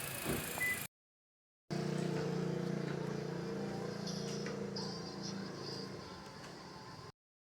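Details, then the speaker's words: 2016 Toyota Altis Grande after the faulty relay causing its no-start was replaced: the engine catches and settles into a steady, even low hum with no misses or knocks, a smooth healthy idle, problem solved. "अब इंशाल्लाह गाड़ी start हो गई। हाँ, गाड़ी start हो गई, मसला हल हो गया।"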